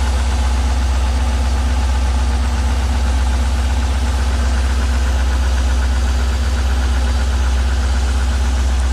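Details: Newly bought C5 Corvette LS1, drive-by-wire so not revved, idling after being driven: steady deep knock about four per second, sounding like a worn rod bearing in the bottom end; owner plans to pull the oil pan and check bearings.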